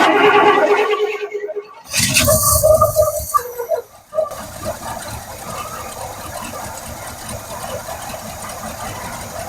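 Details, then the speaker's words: 1971 Cadillac Sedan DeVille big block V8, parked since 1986, running on fuel poured into the carb: after a sputtering catch it settles into a rough but steady run; not pulling fuel through the carb, but it runs. "I'm gonna call that a win. She is a runner. All right, I feel good about it. We know it runs."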